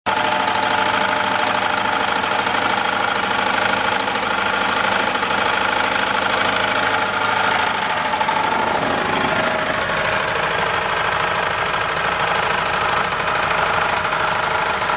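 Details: Atomic 4 small inboard petrol engine running with a steady, fairly regular knock of about two beats a second. The cause is unknown, and the owner fears the head gasket.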